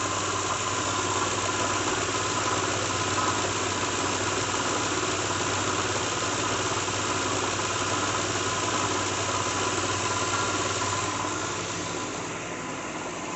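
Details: 2006 Lincoln Town Car, just started cold: fairly even rattle, three or four knocks a second, over steady idle, audible outside the vehicle; owner names a bad harmonic balancer after coil packs, plugs, pulleys, alternator, belt and cam sensor didn't fix it.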